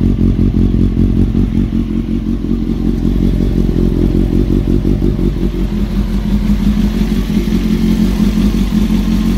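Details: Honda CBR 954 engine before installing a new cam chain; loose, uneven metallic rattle over a steady idle, a clattering top end, probably the worn cam chain.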